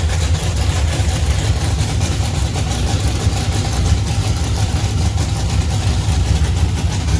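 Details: 1971 Plymouth Duster racecar, 528 big-block Mopar on alcohol, Powerglide, started in garage after sitting 3 years: loud choppy big-cam idle with steady lumpy beat, no knocking or ticking; runs good.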